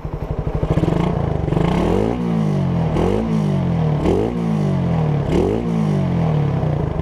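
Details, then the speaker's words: Raider 150 Gen1 carbureted single-cylinder with 51 mm big elbow and New Breed single-hole-divider canister: four quick throttle blips, each with a tinny metallic clatter on the exhaust note; aftermarket exhaust with light internal rattle. "Ayan, parang may nakakalansing sa loob."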